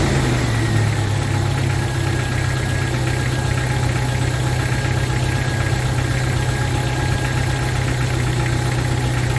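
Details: 1995 Jeep Wrangler YJ 2.5L four-cylinder, just after new fuel injectors were reinstalled, check engine light now off: steady idle with a smooth, even thrum, slightly fast, no misses or knocks; running healthy.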